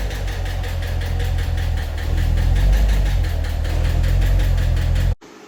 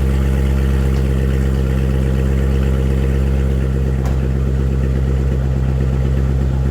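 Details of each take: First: 2015 Corvette Stingray C7 LT1 V8 before repair: sharp, rapid metallic ticking knock at about three per second over the idle. A DOD lifter was suspected; a broken rocker arm was found. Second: 2015 Corvette Stingray C7 V8 after broken rocker arm repair, first start: deep, even idle with a smooth steady rumble and no tapping or knocking; running normally.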